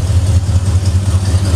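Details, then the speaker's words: Ford Bronco V8, already warm: choke set unnecessarily by two throttle pumps, steady even low rumble at slightly raised idle, running decently; fast idle with choke on. "so when Phil pumped it he set the choke which needed not be done but that's fine so but as you can hear it's idling now and running pretty awful decent"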